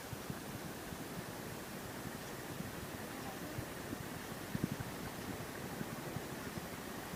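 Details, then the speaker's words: Ceiling fan after bearings washed and greased, on lowest speed: soft, even airy whoosh with no grinding, scraping or ticking; bearings now run smoothly and speed has increased. "अब आपको इसमें कोई कर या करकराहट का आवाज़ आपको सुनाई नहीं देगा।"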